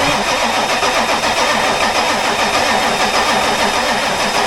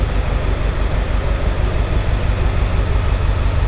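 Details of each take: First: Ford F250 7.3 Powerstroke diesel after new starter motor fitted and starter solenoid powered up: steady fast cranking about 3.5 turns per second, turns over evenly but never fires; crank no start, later fixed after two starters, a solenoid and IDM. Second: Ford F250 7.3 Powerstroke diesel just started after two starters, a solenoid and new injector driver module fitted: catches and settles into strong even low thump about three times a second, no misses or knocks; running normally.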